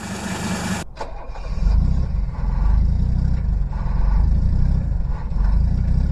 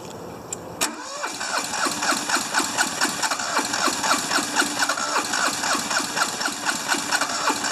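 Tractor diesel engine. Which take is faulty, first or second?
second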